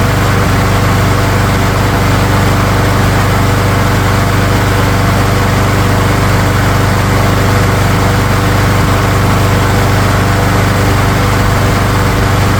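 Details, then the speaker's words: Craftsman lawn mower engine during tune-up, oil filled, three primes, original spark plug refitted; loud steady drone with faint irregular pops about two per second, still popping with either plug, cause unconfirmed. "You know, I don't remember the popping with the other spark plug. Let's pop that other spark plug back in and see if it still pops."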